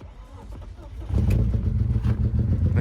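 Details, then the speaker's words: BMW E36 on second start attempt, before repair: runs lumpy and uneven with an irregular low stumble, barely running due to blown head gasket between cylinders 5 and 6. "knapi rūc, jo ir izpūsta galvas blīve starp 5. un 6. podu."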